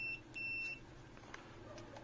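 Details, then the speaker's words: Kevler amplifier with distorted sound under repair: a multimeter in continuity mode gives two clear high beeps, a short blip then a longer tone, confirming the broken trace, bridged with an insulated jumper wire, now conducts. "makikita niyo may tunog na na binibigay o sound ibig sabihin nakatawid na no"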